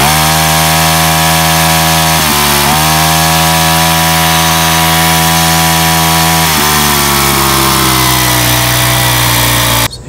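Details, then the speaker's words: Weathered 29cc four-stroke Craftsman Speed Start curved-shaft trimmer, run after checking the oil level, suspected oil leak: steady, high, buzzy note racing with no drop to a slow idle; idle speed set too high. "really what was not working good on this was um the idol was set so high on this i think that may have something to"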